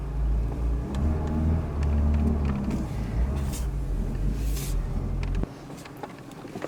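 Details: Mercedes W124 project car while driving: low even engine drone pulls smoothly under road rumble and a few cabin clicks; engine sounds healthy on the move.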